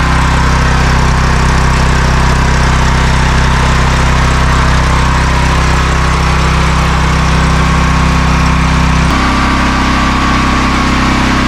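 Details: New open-box AGT industrial 12kW (9kW continuous) generator on first startup after assembly, measured about 90 dB from 4-5 ft: loud, steady, even drone with a constant low beat and no misses or knocks; running normally.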